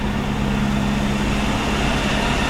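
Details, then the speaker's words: 1949 Buick Roadmaster hearse straight-eight, revived after sitting over six years (points filed, fuel pump and carburetor fixed), running cold: steady, even low burble at idle with no knocks, misses or ticks; normal idle, oil pressure between N and H. "Okay, we got Wendell's Buick to run. He's happy."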